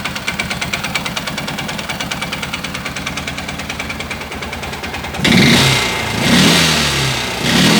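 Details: Stels 500GT engine knock that appeared after heavy loading towing a trailer up a long climb: a quick, steady tapping at idle that blurs into the noise when revved; source unknown.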